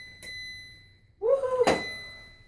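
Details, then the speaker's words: Frigidaire Affinity front-load washer after replacing the door latch (part 131763202), cycle started: a short tone, then one sharp click as the door lock engages. Normal door lock engagement after the fix. "You heard that door clicking? It clicked. Machine is fixed."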